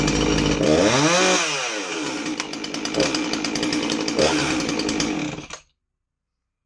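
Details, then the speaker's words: Husqvarna 350 chainsaw that would not start, after replacing a fuel line that had a hole: it picks up cleanly, revs up and down smoothly, then holds a crisp steady buzz; it runs healthy. "all right it didn't run too bad all it needed was that hose"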